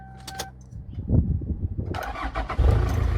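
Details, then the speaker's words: Toyota Land Cruiser Prado 90 KZJ95 1KZ-TE diesel, crank-no-start traced to the injection pump spill valve relay: short crank, catches within a second and settles into a steady even clatter; normal start. "it starts so happy man look at that"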